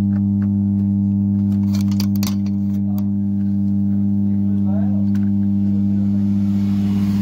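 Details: Amplifier with 4440 IC board humming along with the audio: a loud steady low hum sits under everything, unchanged whether sound plays or not. A small capacitor is being swapped to test.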